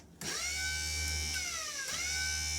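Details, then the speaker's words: Restored vintage 1/4-scale Italian RC motorcycle with Picco 21 engine, starter box with pressure switch and starter wheel on lithium battery: clean steady electric whine dipping and recovering under load, no grinding; starter motor works fine. "That's started working. Um, and it works pretty good, you know."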